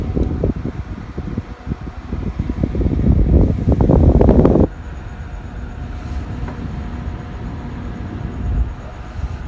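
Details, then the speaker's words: Scythe Slipstream 1600 RPM case fan, many thin steep blades, airflow-optimized, running flat out: steady even airy whoosh after handling clunks, no rattle or ticking; normal fan at full speed, smooth noise profile. "so the noise profile is actually pretty smooth now I wouldn't worry about this man being overly loud"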